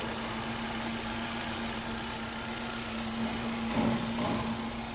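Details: 2021 Hyundai Accent: steady low-pitched hum over engine and road noise, owner suspects a humming transmission needing replacement; cause not confirmed.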